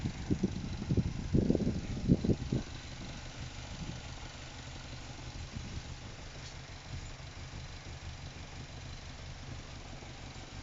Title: NC MX5 really rough idle